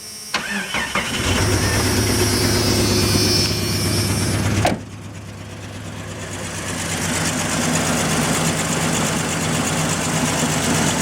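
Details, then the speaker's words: 1996 Jeep Cherokee, 131k miles, after tightening a loose fuel filter clamp that leaked gas: several seconds of cranking, then a lumpy, uneven idle that slowly builds. It is a hard start with rough running; owner suspects two injectors aren't working, and the exhaust leaks. "find out if it runs hopefully it runs better oh I think we're finally getting gas"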